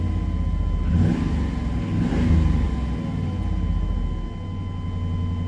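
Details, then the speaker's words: GM Chevrolet Tahoe with Flowmaster exhaust, after a very cold start (battery 11.4 V), warmed up somewhat: a couple of quick throttle blips rise and fall cleanly over a deep, even exhaust rumble; normal revving, no knocks. "so let me go ahead and do a few quick revs I think it's safe to do it now assume she's warmed up enough this one has the Flowmaster exhaust too"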